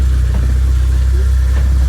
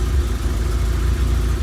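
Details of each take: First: 1991 Vauxhall Nova GSi four-cylinder, off the road since 2005, idling after a cold start. The idle is steady and even with an unchanging beat and no knocks or misses, sounding good. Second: 1991 Vauxhall Nova GSi, laid up since 2005, idling after a cold start and starting to chug with an uneven beat and faint dips. There is slight smoke and the fuel pump whines; the owner suspects it is running low on fuel.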